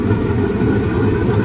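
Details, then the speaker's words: RUUD gas furnace after replacing a faulty pressure switch (bad contacts, only started when tapped): burners light into a steady, low, even roar with no popping or flutter; normal burner operation. "you should hear the flames here come on in a few seconds come on baby there she goes"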